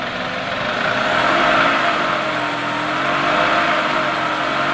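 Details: 2003 Toyota Camry engine, 200k miles, shredded belt replaced, tensioner not: steady idle with fast light ticking about four per second from the top end, loud at different idles; owner suspects lifters and camshaft, later found along with the timing idler, and the engine was replaced.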